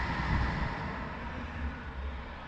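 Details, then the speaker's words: BMW E46 after retrofitting manual A/C to automatic climate control: blower fan with soft steady air rush easing slightly lower, no rattle or squeal, temperature set to 16 degrees; the blower works normally. "The fan, you can hear the fan, how it does"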